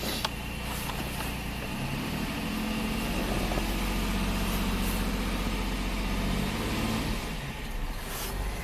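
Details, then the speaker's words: 2002 GMC Sonoma V6 with long-crank and low-power complaint, fuel pump changed five times, warmed up: idle rises as throttle opens, then bogs and sags without a clean pull, suspected fuel starvation rather than a clogged cat. "definitely actually could start starving for fuel okay"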